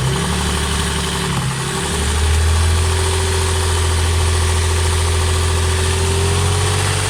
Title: Стучит двигатель стук шатуна? Работа двс